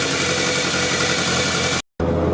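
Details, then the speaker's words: 1983 VW Rabbit GTI, just started after the clutch and pressure plate install: smooth, even idle with a steady low drone and no knocks or rattles. Running healthy. "okay here we go one two three go to the back part it's it's running good"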